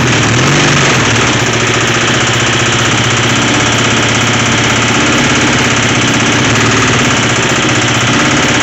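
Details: A revived twin motorcycle now starts, runs and idles, but the idle is uneven with a loose, clattering knock of about four beats per second; there is a bad internal rattle whose source could not be located.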